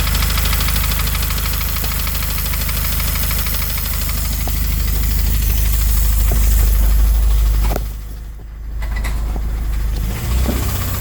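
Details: FA20DIT engine idling with AC on: low, regular knock about three times a second under air-conditioning load; finding: engine knock at idle with AC on.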